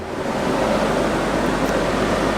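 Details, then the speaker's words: Porsche Boxster 986 radiator cooling fans running after a $10 resistor repair of non-working fans, AC switched on to trigger them: steady, even rushing whoosh with no ticking, rubbing or wobble; fans working normally. "Alright, so I just started the car up after getting everything buttoned up here, and turned on the AC because that will automatically kick the fans on, and success. Fans are on."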